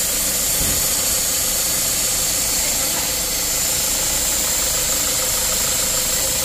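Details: Mazda CX-5 2.2 SH diesel after a dual turbo replacement for jerking, low power, smoke and a mechanical turbo code: steady even idle under a constant hiss, no knocks, surging or turbo whistle; healthy.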